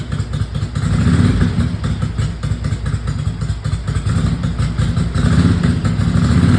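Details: 1982 Ducati 900SS first kick-start after carburettor rebuild and 15 years sitting, fuel tickler used: lumpy but steady twin-cylinder idle with even low thumping and no knocks or misses; settled, idling normally.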